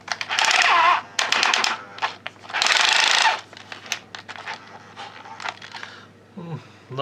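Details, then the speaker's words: Old cordless drill-driver on a homemade transformer power supply (used parts) replacing its dead battery: motor whir broken by fast uneven clacking as the clutch ratchets and slips under load at higher torque settings. "восьмій спрацьовує на передостанній Вже трещтку не тягне"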